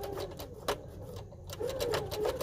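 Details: Sewing machine running with sharp, uneven clicking over its hum, making thread nests on the fabric underside because the take-up lever was missed when threading; re-threading the take-up lever correctly fixes it.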